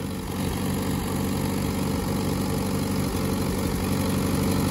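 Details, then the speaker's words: Grandpa's old tractor, just revived: deep, even thumping idle at about four beats a second with no misses; normal idle. "i don't know why that's one of the most satisfying things i've ever started but it is"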